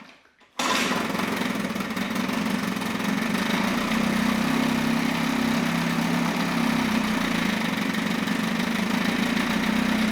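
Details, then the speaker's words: Mercury 9.8 hp 110 outboard after a new impeller and replaced driveshaft seals: a steady, even two-stroke idle that sounds fine, but there is no cooling water flow. The water pump housing cover was installed backwards, so it was shut down. "so i had to shut it down because it wasn't uh getting any water flow uh and i took the lower unit back off"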